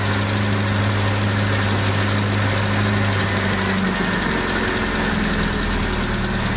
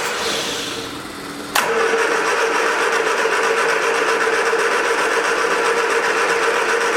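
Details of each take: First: Abandoned 1979 Triumph Spitfire, revived with fuel system hooked up, warm idle: an even rumble that smooths out partway through, no knocks or misfires, settling nicely like a kitten. Clutch and brakes not yet working. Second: 1979 Triumph Spitfire: two long cranking bursts with a quick steady chug about four per second, never catches. No fuel at the disconnected fuel line; owner expects to replace the pump.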